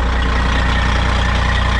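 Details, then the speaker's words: 1991 cabover diesel truck, fired right up after sitting once antifreeze and oil added: deep, steady rumble with regular low beat, no knocks or misses, healthy idle; a whistle heard while driving and a part needing replacement. "i mean for 91 it don't sound bad i don't think sounds alright running down the road you can hear that whistle"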